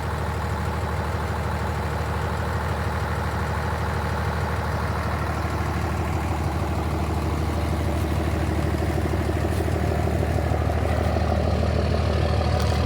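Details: 67 Ford F100 with 12-valve Cummins diesel swap: steady diesel clatter at slow even idle, about three beats a second, smooth and regular with no misses; idle sounds healthy.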